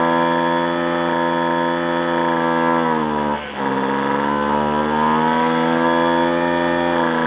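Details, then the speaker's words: Free roadside two-stroke machine after carburetor mixture adjustment: high buzzing steady note with a brief dip and sag, sounding choked and spitting back; owner suspects a clogged exhaust and plans to remove the muffler to check. "a you know I actually think it's sound it sounds like in the way it's spitting back out of the car like kind a clogged a clogged exhaust"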